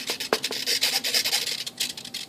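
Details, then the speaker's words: E-flite P-51D BL UMX RC plane, control surfaces moved on the bench: dry, scratchy rasp in quick uneven strokes. Something is binding and rubbing; the source is not yet identified. "You guys hear that funny noise? I think one of my wires is hitting. Something's hitting."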